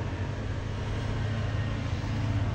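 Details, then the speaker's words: Hero Xtreme 160R fuel-injected ABS bike started after tank removal and fuel filter cleaning and replacement: starts easily, smooth steady low idle, rpm rising faster than before; dirt was possibly causing the earlier problem. "যাক, আমি start দিলাম, সাউন্ডটা শুনুন, খুবই সুন্দর, smoothly, খুব easily start নিয়েছে এবং আরপিএম খুব দ্রুত, আগের থেকেও খুব স্পিডলি উঠতেছে এবং স্মুথলি সাউন্ড আসতেছে।"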